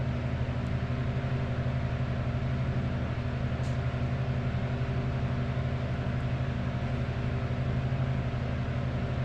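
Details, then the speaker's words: Old metal-blade box fan, previously just hummed and barely moved from lack of oil, now oiled and cleaned: smooth, even low hum with steady blade whoosh, no rubbing or grinding; spins freely, normal. "Yeah, it spins pretty freely now. Before it would just, when I switched it on, it just hummed and the barely moved about a quarter inch. That was it."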